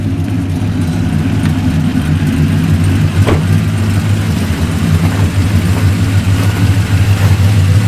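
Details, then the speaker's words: LS V8 truck on first road drive after installing Yella Terra roller rockers, LS7 lifters and LS9 head gaskets: strong, even note rising and falling with throttle, no knocks or ticks; successful initial run, no issues. "the wires feel good so the verdict is a successful initial run no part Noli [Applause] so far so good no issues"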